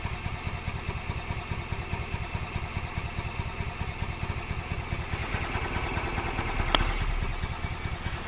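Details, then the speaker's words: 2005 Club Car Precedent gas cart with newly installed fuel pump, fuel tank turned on: steady fast chugging of starter cranking with no catch; new pump not yet primed, fuel not getting through. Cranks but no start. "we gotta prime this one sometimes you got to give them a little blast of fuel to prime the new pumps"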